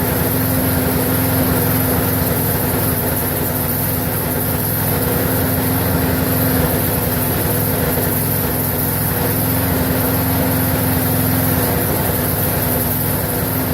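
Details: Briggs & Stratton 4.75hp mower engine, possibly Craftsman, previously wouldn't run and reportedly died 10 minutes after earlier fix, now run-tested for about a minute; steady even buzz with no surging or dying off; normal running.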